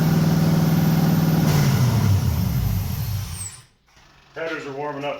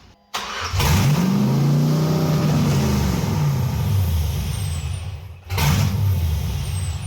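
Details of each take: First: 1989 Chevy S10 Blazer LS swap after refitting the MAP sensor to the LS1 intake: steady even idle hum settling a little lower as it runs, no knocks or misses; normal idle. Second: 1989 Chevy S10 Blazer LS swap on the LS1 intake: V8 catches, then idles unevenly with rhythmic dips and surges; vacuum leak, the MAP sensor was left off, leaving an open hole in the back of the intake.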